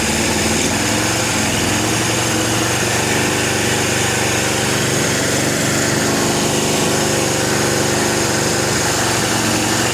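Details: Suzuki GS750 four-cylinder, about 23,000 miles, long-sitting, first start on choke: buzzy idle holding high and steady without settling; idling too fast, carburetor dripping on number two cylinder, needs tuning.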